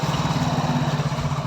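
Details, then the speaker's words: Hero Splendor Pro single-cylinder motorcycle just started after full engine rebuild and refitting; steady single-cylinder thump, even with no ticks or knocks; normal idle. "तो finally दोस्तों हमने पूरा full bike setting करके full engine इस पर tight करके अब हम स्टार्ट कर दिए। और आप इसकी साउंड सुनिए और ज़रूर कमेंट करें कि साउंड कैसे आया"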